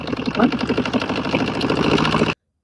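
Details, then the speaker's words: Washing machine making noise: fast, uneven thumping and rattling that keeps pace with the spinning drum; a sock was caught under the drum, not a failed motor. "भाई washing machine में आवाज बनने के दो ही कारण होते हैं। या तो मोटर ही खराब हो जाती है या फिर ड्रम में कुछ फंस जाता है। हमारे केस में भाई ड्रम में के नीचे जुराब फंसा हुआ थी।"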